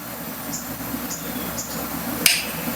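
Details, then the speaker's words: 1988 Caldor MTD lawn tractor, 8 hp Briggs engine: faint ticks about twice a second then a sharp click, engine never cranks despite cleaned connectors; starting-circuit clicking, switch suspected, not confirmed. "yeah that's making a sound over there something's going on we could have a problem with this switch"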